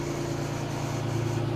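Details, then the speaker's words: 1999 Isuzu Rodeo revived after sitting, with a fuel pump replaced, at idle: a steady low engine hum with a constant whir riding over it, unchanging throughout. Whirring noise at idle; owner suspects an idler pulley bearing, unconfirmed. "Yeah, it sounds like a bearing idler pulley or something like that. We'll oil him up good."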